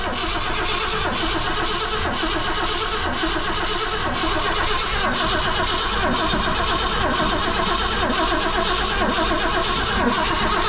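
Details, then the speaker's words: 1966 Ford Fairlane 390 FE V8, rebuilt Autolite 4100 carburetor fed from auxiliary tank, in neutral; steady rhythmic cranking that never catches; no start from no spark, coil wire found disconnected despite fuel reaching carburetor. "I think we found out that our coil wire was not hooked up as well. So it's amazing that it didn't fire when it was getting gas, but that's the reason why."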